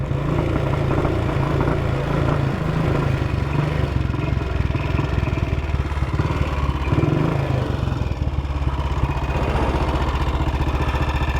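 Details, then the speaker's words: 1959 BSA motorcycle running rough and uneven, stumbling, misfiring and backfiring; ignition key had fallen halfway out of the lock, between on and off, suspected to be cutting the ignition in and out. "What is causing that? Got a hell of a backfire."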